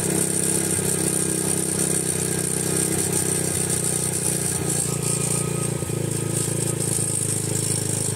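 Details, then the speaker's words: Grom-type small single after installing a Nibbi PE22 carb with stock settings: fast, steady idle with light rattle, erratic and a little high; owner suspects it needs a smaller slow jet (not confirmed). "it's idling up now that's erratic right there that's a little high"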